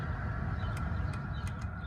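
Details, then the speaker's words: 1999 Mercedes E55 AMG W210 after blower repair, fan run from low to max: quiet, steady whir with even low hum, no rattles or scraping; blower fan working normally. "Go higher. You can hear it. It's all working. And that's the max. The fan is working."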